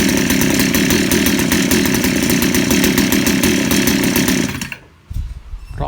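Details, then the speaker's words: 63cc two-stroke engine with new aftermarket carburetor, stock straight-run ignition coil: screams at full throttle, then drops to a faint lumpy idle nearly stalling; idle set too low, running rich, being tuned. "เดินเบาต่ำไปนิดนะครับเพื่อนตอบหน่อยเพิ่มรอบอีกนิดครับ"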